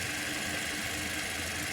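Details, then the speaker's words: 2019 Toyota Corolla at idle, cold or warm: faint light whirring tone comes and goes over the hiss; owner suspects the belt side but is unsure; intermittent engine noise. "Ó eu não sei que pode barulho e vence a e do Corolla 2019 marido parou agora ele vai e volta toda hora carro frio carro quente não importa"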